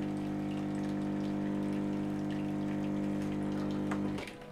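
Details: Nivona 930 coffee machine; customer reported howling. Steady, constant-pitch pump hum that cuts out cleanly, normal volume, no howl.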